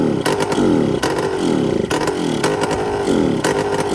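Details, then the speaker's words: Yamaha Blaster two-stroke ATV, flywheel cover off, throttle not hooked up: revs rise and sag about once a second, never settling; on choke and fuel-starved, filter dry because the tap was on "on" instead of reserve. "It was on choke. Because that filter's dry because it's on instead of reserve."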